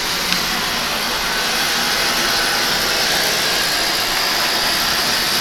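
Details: Oil boiler burner running continuously after filter, screen and nozzle service: even, steady flame roar, no pulsing or sputter; clean firing, very low smoke, normal operation.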